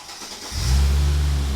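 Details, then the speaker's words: Supercharged Mercedes SLK320 (M112K), battery on a jump box, first start with a new tune: brief crank, then it catches instantly and settles into a smooth, deep, even idle while warming up; a clean, healthy start. "man, fires right up. Sounds good with the new tune."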